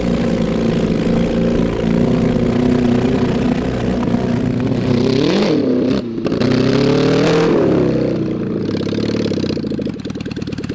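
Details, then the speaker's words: Mid-1970s Honda CB750 SOHC 750cc engine swapped into 1980s Suzuki Quad Sport 230, first ride, cold; revs up unevenly stuttering and popping under load then briefly clears, misfire likely from carburetors, no real exhaust, worn points ignition. "it runs like garbage but uh i mean you were still able to jump in and do bootlegs"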